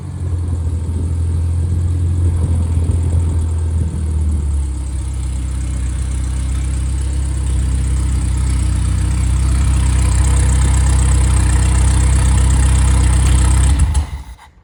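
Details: Freshly rebuilt, balanced 1500 engine (Triumph Spitfire/MG Midget, FP22382UE; 9.5:1, 270 cam): smooth, even low rumble that eases back and settles steadily before shut-off, with no knocks or ticks; hot-idle oil pressure 28–30 psi; healthy.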